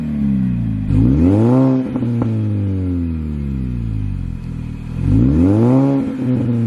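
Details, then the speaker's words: R53 Mini Cooper S, owned about two weeks: start-up and two clean revs, pitch climbing and falling smoothly with supercharger whine riding along and exhaust audible; normal revving, blower and exhaust sound healthy. "i'll give you some start up on the rev off the car as well just so that you can hear like the engine and like the supercharger wine and the exhaust as well"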